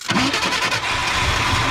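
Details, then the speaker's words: 1967/68 Ford F100, sitting about 10 years; engine catches with a ragged, spitting burst only on gas poured into the carburetor and struggles to keep running; fuel supply problem, carburetor rebuild kit planned. "oh my no just go just putting gas in the carburetor is what's the issue"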